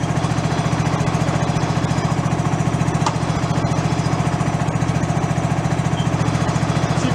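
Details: Discarded John Deere mower, engine revived, freshly started with oil in and possibly some choke: even, steady single-cylinder putter at about three and a half beats a second, no misses or knocks; healthy idle.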